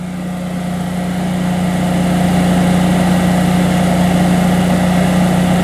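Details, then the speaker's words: Generac standby generator powering the house with the air conditioner running: steady, even drone with a firm low hum holding its pitch under load; generator carrying it fine. "But let's see what the generator sounds like now that it's under load. That'd be very interesting to hear. Because, you know, compressors really require a lot of power to start up, so. Oh, sounds okay to me."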